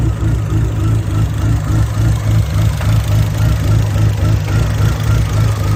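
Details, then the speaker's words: SRT-4 with new big cams and big turbo at first idle, on a rough preliminary fuel tune estimated for much bigger injectors: deep, lumpy, choppy idle with uneven pulses that never settle; rough idle from the preliminary tune. "So, as you can tell, pretty choppy. He basically did a rough estimate of what he needed to do for the injectors and everything, since the injectors are so much bigger, and he got everything adjusted for it to idle."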